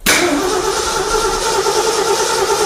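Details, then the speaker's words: 1965 Ford F-250 4x4 V8 with a Holley carb, started after valve cover gasket work, with 6 psi fuel pressure: fast idle with a sharp raspy edge over the rumble from an exhaust leak, side still being located. "The next thing we need to do is figure out where this exhaust leak is because we gotta fix it on one side or the other to use the air-fuel ratio gauge."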